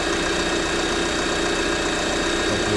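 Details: 2023 Lada Vesta NG automatic, checked for exhaust camshaft knock: steady, even idle with no tapping from the cam side; diagnosis found the camshaft fine.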